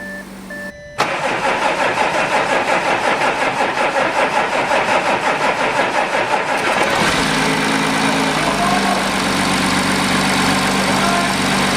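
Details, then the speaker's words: Audi A7 after fitting a brand-new replacement engine, fresh oil, first start: brief crank, then engine catches, pulses evenly and settles into smooth steady idle with a small rev blip; normal start and idle. "first start the brand new engine sounds good sounds good sounds good little Rev cool"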